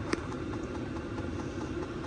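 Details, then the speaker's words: New Vevor diesel heater running in a carp-fishing tent: quiet, steady whirr with a faint even patter, no surging or stumbling; running normally and warming the tent. "Voilà les gars, le chauffage s lancé."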